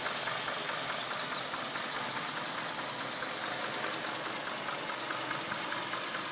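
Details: 1996 Acura TL 2.5 five-cylinder at idle with a cylinder 1 misfire: uneven idle with a regular stumbling tick about twice a second. Spark is escaping from the distributor cap at cylinder 1 only; the owner hopes replacing the cap fixes it.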